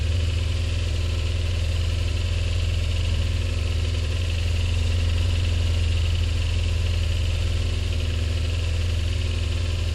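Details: Honda PCX scooter: loud, deep, raspy drone at steady idle, unmuffled; exhaust pipe broken loose from flange at engine, still runs but very noisy, replacement parts awaiting fitting.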